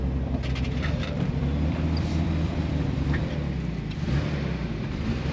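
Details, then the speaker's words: 1973 Datsun 240Z, L24 with L28E head, manifolds and turbo, sat 20+ years, after a drive back: low lumpy uneven note at very low revs, sounds terrible, then dies; rough running. "Everyone sounds terrible. Yeah, it's not healthy."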